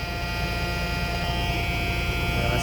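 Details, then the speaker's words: CAT C15 diesel truck, engine dead cold, after injector wiring harness work for an idle shake/miss: constant steady low-air warning buzzer drowns out a smooth idle, around 55 PSI while air pressure builds. "I mean you can barely hear it over the low air buzzer I mean you can barely hear anything over the low air buzzer"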